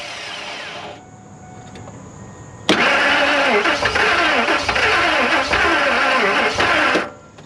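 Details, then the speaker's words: 2000 Ford F250 2WD extended cab after sitting, feared locked up: starter spins about four seconds with an even rise and fall but never fires; owner unsure whether valves are stuck. "well it attempted to but i don't know if valves are stuck or what but let me do a little bit more investigation bring you back"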